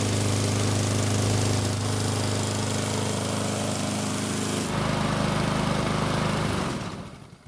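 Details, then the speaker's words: Lawnmower engine on the bench starts on one weak pull, reusing drained fuel; runs at a steady pounding rate with rough shaking throb until winding down, pointing to a bent blade; an oil leak at the engine front is also seen. "While that test run was a bit eye-opening, the engine only needed a single weak pull to get it to start, which is great. The shaking of course was still there"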